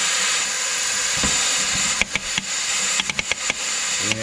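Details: Massey Ferguson 175 MultiPower 6-speed clutch pack tested with air pressure applied, in high range as the input is rotated: loud steady air hiss with bursts of sharp clunks; this is normal operation.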